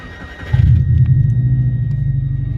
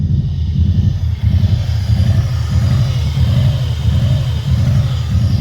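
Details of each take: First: Subaru Impreza petrol, after cleaning the air recirculation valve sensor (fault code 24) that caused idle revving up and down: catches quickly and settles into a smooth, even idle with no hunting; engine light off. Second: Subaru Impreza on regular fuel with rough idle revving up and down randomly; check engine code 24 (air recirculation/idle air control valve), fixed by cleaning the valve.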